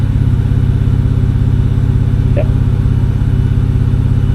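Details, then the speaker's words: BMW N52 inline-six at smooth, even low idle after coil swap test for an earlier cylinder 2 misfire code; live data operational smoothness values on all six cylinders show everything firing as it should, no faults: normal idle. "Select all six cylinders. Aha, everything is firing as it should."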